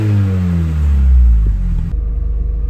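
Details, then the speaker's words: Classic Mini, finally fully warm, revved a little more: deep, smooth exhaust rumble rising and settling with each throttle blip, no puffing or ticking; exhaust sounds sealed and healthy, a nice normal note. "vous avez vu j'ai fait un petit peu plus ronfler parce que là elle est enfin chaude enfin enfin chaude elle était petit à petit de plus en plus chaude c'est pour ça qu'au début j'ai pas trop accéléré et là ben ça fait vraiment un joli bruit"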